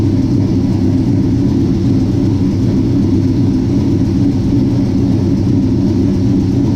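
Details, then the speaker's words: 1967 Chevy C10 V8, just finished with a Holley Sniper fuel injection upgrade, starts cleanly and runs with a deep, even rumble, no knocks or misses; normal running. Transmission fluid is still low, and it popped once on first start. "Man, that thing starts good and sounds good running."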